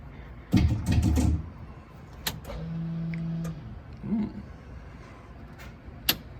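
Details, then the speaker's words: Ford Fusion race car with replacement fuel pump in fuel cell: brief steady electric hum between clunks, pump spinning with fuel level below its inlet, so no pressure; more fuel needed. "no pressure yet enough fuel in here um so the pump's actually above probably where i have enough fuel"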